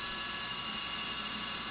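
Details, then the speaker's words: CNC roughing an AR15 gasblock, spindle at 1900 rpm via override (down from 2125): steady high-pitched ringing over constant hiss, end mill still a bit chattery; 2125 rpm would be worse. "but uh it's still a bit chattery so 2125 would certainly be more chattery"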